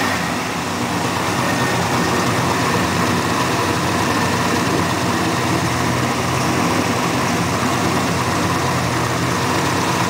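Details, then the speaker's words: 1965 Mercury whose engine was once seized, fuel hand-poured because the fuel pump isn't working: a loud, steady V8 rumble holding even with no misses or knocks, smoking slightly out the back. Normal smooth idle. "oh she running nice sit back see sound good yeah sing used to be seized we got her at Seas a while ago it's running it's R smoking it smoking out the back a little bit can't hardly see it"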